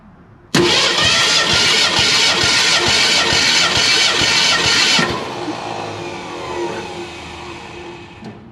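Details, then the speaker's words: 1961 Ford Unibody truck with a 1968 Mustang 302 V8 and C4 automatic, after sitting 29 years; steady starter cranking at about four beats a second with no firing during a compression test, cylinder 2 reading about 152. "second cylinder back got me a little note paper there to keep track of them and see what cylinder 2 is talking about what's up hot damn that's looking like about 152-ish pretty good"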